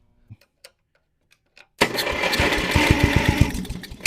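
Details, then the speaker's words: Abandoned lawnmower with leaking carburetor, a little gas added, no starting fluid, jumped battery: starter cranking with irregular chugs about four a second, engine sputters briefly and dies without catching; hard start, owner suspects loose spark plug wire. "almost started without starting fluid she maybe runs"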